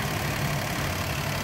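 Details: 2016 Daihatsu Mira after throttle body cleaning and spark plug change: small engine settles into a smooth, even idle with a low steady beat and no stumbles or misfires; runs properly.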